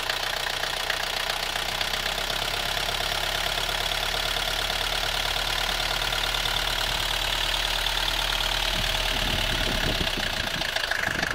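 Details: 1982 Mercedes W123 200D, OM615 diesel, idling with an irregular knocking mixed into its clatter; strange engine noise whose cause is not pinned down.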